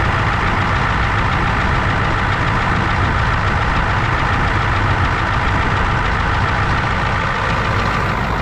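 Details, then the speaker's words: 1994 Ford crew cab diesel, just started: loud diesel clatter at idle with a slightly uneven beat. Good oil pressure and charging; a little air was bled out, air may remain, and it later shut off, possibly out of fuel. "Got a little bit of air out. Not a whole lot, but we're just going to let it run."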